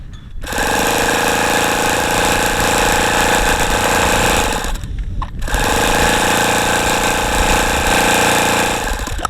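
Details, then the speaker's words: ASP FS65 glow engine, 29°F cold day, 5% nitro, fuel line primed with lighter fluid: two long steady bursts of starter whirring with no firing; cranks but won't start in cold. "that wasn't a good idea that didn't work at all"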